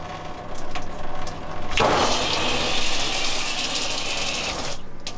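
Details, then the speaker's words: New Oxygenics showerhead just installed in an Airstream, full steady hiss of water spray; flow seems stronger than the previous showerhead, working normally. "That's definitely a better flow, I think, than what we had with the other one. That seems fine."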